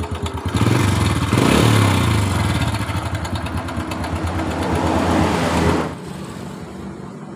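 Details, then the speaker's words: 2007 Honda Supra Fit New at an uneven idle: a steady light clatter about four times a second from around the cylinder head; the cam chain was found very slack and rattling. "biasanya rantai ketengnya yang bunyi. Selanjutnya lepas baut penutup gigi timing. Ya, rantai ketengnya sangat kendor sekali."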